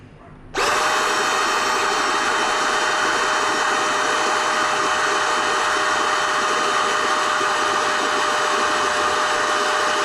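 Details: NovSight G5 jump starter's inflatable air pump switched on to inflate an item before reversing to suction to deflate it: kicks on abruptly and holds a smooth, steady whir with no wavering or knocking; running normally.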